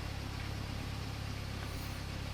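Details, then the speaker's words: Mini R50 after gearbox and clutch work (bell housing rattle) and gearbox oil refill: smooth, even low tick-over with a steady beat and no ticks, knocks or surging, all seems okay. Normal idle. "It all seems to be okay. So we'll let her sort of tick over a bit, just to make sure that things are still okay."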